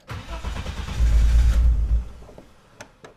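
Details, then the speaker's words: BMW E30 325i forest find, not run in years; starter cranks at a steady churn about two seconds and never catches, nearly starting; fuel starvation blamed on clogged fuel injectors, which are then removed for cleaning. "that was good oh she wants to start so much"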